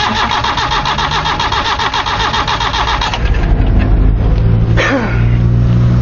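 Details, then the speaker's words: 1993 Nissan Tsuru (red-top engine) that starts then dies and won't restart once switched off: even starter cranking about four beats a second for three seconds, never firing; no fuel pressure reaching the injectors. "vamos a ver si en marcha se ahí y este inyectores [Música] y no hay ni presión de combustible señores no hay nada"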